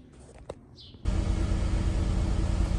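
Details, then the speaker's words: 2008 VW Caddy with swapped 1.9 TDI ASZ PD130 diesel replacing failed BLS PD105, first start, cold, glow plug light on: catches and settles into a steady even low clatter, no misses or knocks; running smooth. "so far so good sounds good it's running good running smooth"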